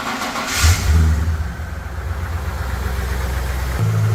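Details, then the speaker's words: 1993 Ford Falcon ED 5-litre V8, previously crank-no-start from a computer spout driver shorted to battery positive, after repair: brief cranking, quick catch, steady rumbling idle with no stumble; starting normally. "So yeah, as you can see, we're running, and we've got our computer control there, and you can see it's battery voltage to ground, and that's what we weren't getting before"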